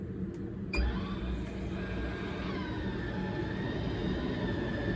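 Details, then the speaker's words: MaxxAir roof fan in a 2018 Ford Transit camper van after repair: soft click, then low steady hum and faint motor whine as the lift motor moves the vent. Fan starts normally. "You can see I got the fan back up in place. It's running, you can probably hear it. And go ahead and shut it off. You can hear the lift motor is closing the vent."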